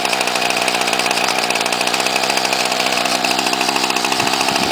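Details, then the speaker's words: Cold start of a 1995 Ryobi 700R trimmer, 31cc, on choke with primes, a little smoky. High buzzy two-stroke note holds steady and even with no misses or surging; runs perfectly for its age: normal idle. "Absolutely runs perfect being a trimmer for that old. Well, that passed the test."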